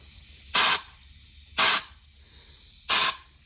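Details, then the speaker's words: 68RFE transmission clutch air test at 30 psi; three short hissing air blasts into the low/reverse port with no clutch apply; air bypassing, likely piston seals, requiring transmission teardown. "It's engaging low reverse. Nothing. The air is just bypassing."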